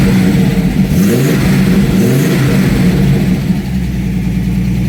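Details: TVR running MS2 (MegaSquirt) ECU after converting from unreliable TFI ignition to VW/VAG coil packs; engine catches and revs cleanly with strong even exhaust note, then settles toward idle without stumbling, healthy.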